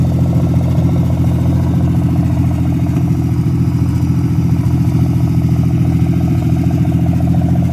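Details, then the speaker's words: Freshly revived petrol engine's first start-up, idling through open extractors: lumpy idle with an occasional pop breaking the beat; misfire from a bad distributor cap and rotor button due for replacement. "still got a little pop in it that's that bad dizzy cat but should be able to get all that sort of tomorrow"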